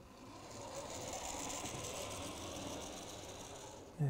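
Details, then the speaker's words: About 40-year-old Hornby Class 43 HST model loco, Ringfield motor replaced with a new motor, running at roughly 70 mph scale speed with the headlight on: soft, even whirr and light gear buzz, no stalls or grinding. "so if i just send it off a bit more speed in it and you can see the light on the front illuminate and bring it back same color speed lovely and that's a scale speed of round about 70 miles an hour which i think is just fine"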